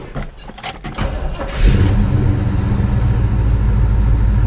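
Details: Chevelle V8 cranked on a high-power AGM battery (about 12.13 V resting): short crank, catches right away and settles into a steady, even rumble; normal start.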